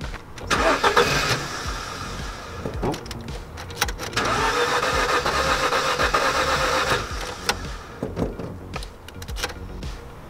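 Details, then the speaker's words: 2007 Ford Focus right after DIY service with new spark plugs and plug leads: two long spells of steady starter churn, never fires; crank no start because the new plug leads were not pushed on properly. "slightly concerned must be the spark plugs then hmm they're not pushed on properly"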